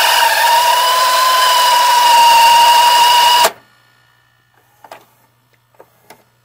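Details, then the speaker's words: Funai-made VCR mechanism (2001-2016; Sylvania, Emerson, Toshiba combos) during rewind: a loud, steady high whine that cuts off sharply when the deck stops, caused by dry bearings on the small drive gears. "hey guys do you hate when your funai made vcrs such as just sylvania msn toshiba combos um etc makes a loud wine sound like this for example"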